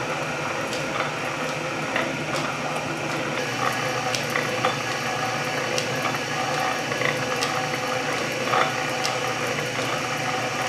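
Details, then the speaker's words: Refurbished Canedy-Otto drill press in back gear at its lowest speed, roughly 60 rpm, and lowest feed; belt needs tightening: slow, even gear-tooth ticking over a light mechanical rustle, no knocks or grinding, running normally. "it's in back gear first gear our first slowest speed on the steppes bully look how slow that thing is spinning 60 rpm maybe"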